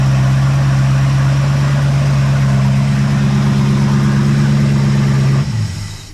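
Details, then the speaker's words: 1974 Pontiac Ventura V8 after fresh plugs, fresh gas and distributor timing concern, oil pressure about 35–40 psi: deep steady drone with a loose, uneven beat, and an odd noise deep down at first fire-up, source unknown. "It does make a weird, like, pot noise somewhere down in there, like when it first fires up. So I don't know what that is."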